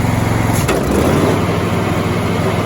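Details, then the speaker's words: John Deere Z525E zero-turn riding mower, deck engaged and taken up to full throttle: engine pulls up to a steady, even drone under deck load, tone holding without surging; healthy running. "Up to full throttle."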